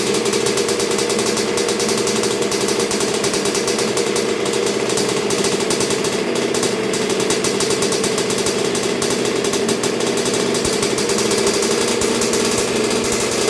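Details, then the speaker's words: 1986 Honda CR125R two-stroke, new .060-over Wiseco top end, run through break-in heat cycles with Keihin PJ carburetor: crisp, even buzz, no misfires or rattles; running cleanly. "so far so good it's sounding really good it's real crisp um sounds like it's bored out sounds like everything's working really good"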